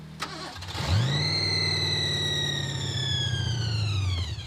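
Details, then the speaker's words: 1986 Ford Thunderbird, 302 V8 with a 6-71 blower, at about 0° after dying on the road with a massive oil leak: brief crank, catches and revs, holds a few seconds then sags away; not seized; suspected out of gas, running off the accelerator pump. "I think it's out of gas I think it just ran off the uh accelerator pump just now"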